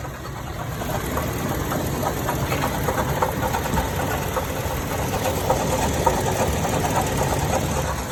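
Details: 2014 Toyota Tacoma TRD OffRoad idling: irregular clunking about three times a second, only at idle or slightly above, changing briefly with AC toggled; AC compressor clutch and coil had melted, replacement removed the noise.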